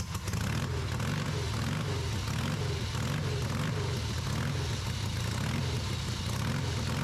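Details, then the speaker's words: Rebuilt Harley V-twin on off-road trike, first run after a significant timing correction, choked; deep, loud, steady running with even low thump, no misfires or popping; engine running. "Well, that definitely ran."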